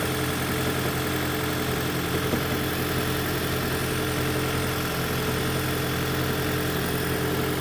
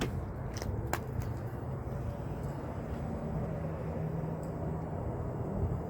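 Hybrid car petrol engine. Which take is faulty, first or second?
first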